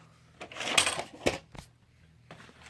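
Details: Hitachi UX625 VCR: after rewinding it ejects the tape, then clicks and clunks as it keeps spitting the cassette back out; it accepts only on the 4th or 5th try and then only rewinds; cleaning the rotary encoder switch did not help.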